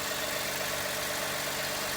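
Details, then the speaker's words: Lexus IS250 after catalytic converter and exhaust replacement, running before fully hot: steady even idle with smooth airy rush, no ticking or puffing; no exhaust leaks found, and the earlier oxygen sensor check engine light did not return. "i just give a quick feel make sure that there's no uh exhaust leaks doesn't seem to be any at all"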